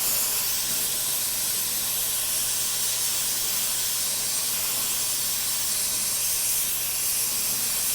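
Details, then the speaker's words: Oxy-acetylene torch run a little hotter for welding thicker 16-gauge sheet: strong, steady, high-pitched rushing hiss with no sputter or popping, a normal, evenly burning flame. "So again, on this, on the thicker gauge, I'm going to run it a little bit hotter. You can kind of hear it."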